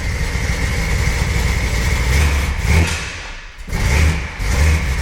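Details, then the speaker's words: 1984 Chevy S10 extended cab with a 350 small-block V8 swap, running cold and heard inside the cab: deep rumble on a rev, then a brief stumble and carburetor backfire; the carburetor and timing still need adjusting. "Still a bit cold. But the carburetor backfired there. I still got to do some carburetor adjustments and some timing adjustments to it, but right now it runs and it's pretty good."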